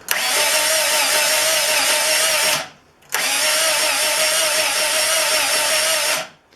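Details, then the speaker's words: 1968 Fiat 850 Spider, engine just installed, new gear-reduction starter jumped at the switch with key on: two strong even bursts of fast high whirring cranking, no slipping or grinding, shaking the car; normal starter cranking. "that is a strong starter turn the key off that is strong it's good and i don't know if you could see it but it was actually physically shaking the car because that's how how hard it was turning the flywheel back there"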